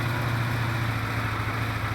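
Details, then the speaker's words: Recommissioned 1973 Honda CB500 Four, carbs reassembled, warm at idle with cylinder temperatures 80-plus degrees within ±15: steady, even four-cylinder burble with no misses or knocks. Sounds healthy, though the idle screws still need setting by emissions. "Sounds good, so"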